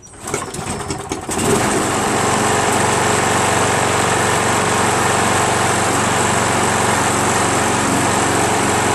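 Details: Craftsman 7HP self-propelled lawn mower: sputtering popping pull-start, then steady high buzzing run; hard starting, needs priming every time; owner suspects off timing from a damaged flywheel keyway and a faulty carburetor.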